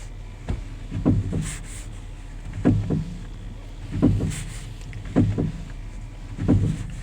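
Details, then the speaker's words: Grand Caravan: dull low clunks in bursts about every second and a half as the wheel is turned, because the seized or corroded strut mount (top hat) stops the spring from rotating freely with the strut. "basically the strut rotating as you turn the wheel and the spring itself is trying to turn on like the top hat or the strut mount is that but it's a it's like seize or a lot of corrosion in there so it doesn't let the the spring move freely and you get that Clutton noise"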